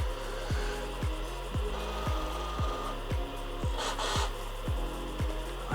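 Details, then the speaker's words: Used Sega Dreamcast GD-ROM drive reading a just-bought Crazy Taxi disc: it spins up slowly, with soft, regular seeking clicks about twice a second as it hunts, and eventually finds the disc; the drive is thought to need more work. "It's detected the disc. I can hear it spinning up. That's taking longer than I remember it ever doing. I don't know what it's checking, but it's taking its time."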